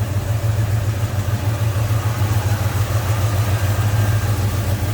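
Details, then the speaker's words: 1972 Pontiac Ventura Nova tribute, 350 V8 with headers, Edelbrock intake and carb, GI ignition, TH350 automatic, heard in the engine bay with hood open: deep even burble, steady lope, no knocks or misses; smooth normal idle. "GI ignition and smooth running V8 sounds good"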